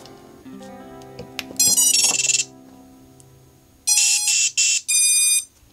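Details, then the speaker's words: Diatone Mamba F40 BLHeli_S 4-in-1 ESC in Dark Mut Mk2 quad, first power-up: short bright musical beeps sung through the motors; speed controllers initialise normally though buzzer didn't sound and setup still needed. "what i am pointing out just there was that you did hear the motors make their noises so that yep even though it didn't have the buzzer come on through the motors"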